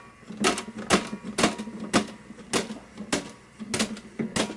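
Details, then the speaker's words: Rock-Ola 5000 CD jukebox page unit: crisp, evenly spaced mechanical clacks about twice a second as pages flip cleanly; slide mechanism fine, fault suspected in the motor. "works that works beautifully there's nothing wrong there"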